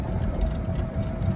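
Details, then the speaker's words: Club Car DS golf cart driving through a neighborhood after the front leaf spring bushings were replaced. Only a low rolling rumble is heard, with no squeal or rubbing on the wheel; the ride sounds normal. "look at that no noise it's not rubbing the wheel so that is exciting"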